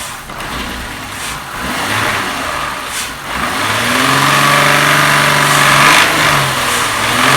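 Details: 2001 VW Jetta MK4 12-valve VR6, warm, revved before repair: sharp, uneven clacks worst around certain rpm, with hesitation on throttle, caused by a worn intake manifold shift rod.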